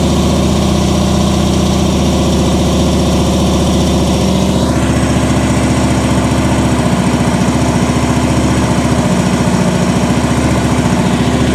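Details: 2015 Harley-Davidson Ultra Limited Low Twin Cam, just after a top-end rebuild and O-ring fix for oil puking: the V-twin fires up and settles into a loping potato idle with a steady low thump. Normal idle.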